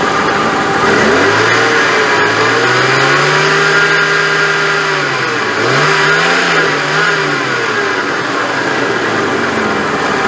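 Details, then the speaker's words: Jeep Cherokee power steering pump, not leaking, with a new reservoir: whine climbs and falls as the engine is revved and is barely audible at idle. Louder with the reservoir cap open; recorded before adding Bar's Leaks Power Steering Repair. "i can't really hear it when it's idling like this so i'm just going to rev it up and then that's when it really starts to make a lot of noise"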